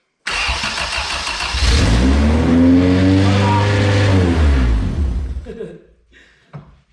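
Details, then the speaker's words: Retro Honda CRX after an engine swap, first start with old gas in it: engine catches and revs up, then hangs at a fast steady idle because the throttle body was fitted around a piece that held it open; fixed afterward, and it runs on all 4 cylinders. "The only thing I had is I put the throttle body around this little piece, so I was holding it open. That's why it idled high."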